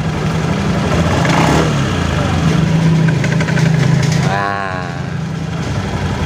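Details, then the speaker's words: Honda Beat FI scooter with rough clattering at idle: uneven rattling clatter over a steady idle, about three knocks a second; the CVT is opened and found to have worn, misshapen variator rollers and loose sliders. "nah ini kawan-kawan kita lihat aja penyebabnya apa ini satu rollernya juga udah pada peyang"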